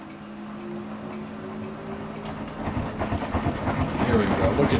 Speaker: It's banging on both sides of the wash machine left and right